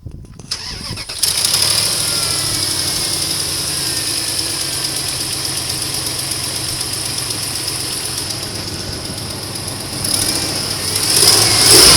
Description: A clicking noise coming from the engine. Not sure what it is. What do you think?